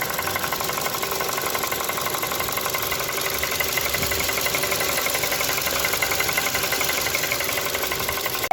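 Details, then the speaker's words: 2019 Ford Kuga 2.5 L, 14,497 km, at dealer: fast, fairly even knock about four per second through the steadily running engine; foreign engine noise confirmed by dealer, engine to be disassembled. "мастер-приемщик отдал машину запланировали с ним заезд на понедельник сказали шум есть шум подтвердился будут разбирать двигатель"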